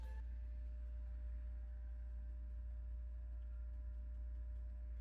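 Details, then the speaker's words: Arcade1Up cabinet with an Intec fighting stick, in a game menu: steady low hum with faint high ringing from the speaker, like a little motor running or feedback. Suspected electrical feedback noise, not confirmed. "almost like a little motor running so sound off so almost feed some feedback"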